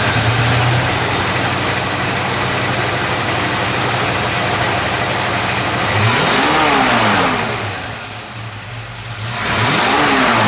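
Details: 1954 Chevrolet 3100 with 350 small-block V8, ceramic-coated shorty headers, Accel HEI, 700R4 automatic, hood open: lumpy, steady idle, then two clean rev blips rising and falling smoothly; healthy.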